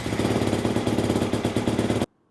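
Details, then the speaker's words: Single-cylinder motorcycle with about 5 hours on it, idling after an oil change (filter not changed), warming to operating temperature before rechecking oil level: steady, even putter, no knocks or rattles; normal idle. "Just let it idle for a few minutes, get it up to operating temperature, and then we're going to recheck the oil level."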